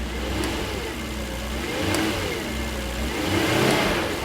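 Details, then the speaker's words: Daimler 4.0 V8, first run since 2016 after sitting: deep V8 blips up and falls back a few times, picking up cleanly and settling without stumbling; runs and sounds healthy. "it runs and it sounds great"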